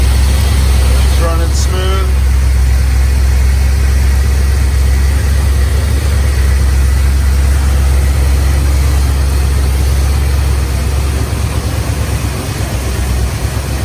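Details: 1971 Dodge Dart Swinger 318 V8, 130k original miles, Edelbrock 600 carb, just started after about eight months: deep, steady, lumpy but even burble through loud exhaust, no knocks or ticks; normal idle.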